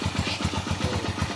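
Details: Haojue 125 single-cylinder after engine overhaul with transmission and crushed needle bearing replaced, new bearings needing break-in: short stretch of even, steady idle thump with no odd knocks or rattles.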